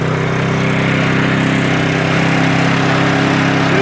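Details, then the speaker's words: Sno Tek snowblower engine after a surging fix: fuel filter cleaned and a small hole drilled in the fuel jet. Steady even roar at full throttle, no hunting; running smoothly. "That's what you do to get it from stop all that surging. Sounds like a charm."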